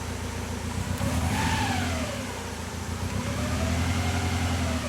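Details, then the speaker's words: Toyota AE86 with Link G4X aftermarket ECU, previously cranking but not starting: uneven, lumpy beat with unsteady pulse as revs rise and fall, sounding like a misfire, "like a motorcycle"; fuel pump confirmed good, cause unknown pending workshop check. "yeah guys if you can hear the sound sounds a little bit like misfiring right yeah it just sounds like a motorcycle"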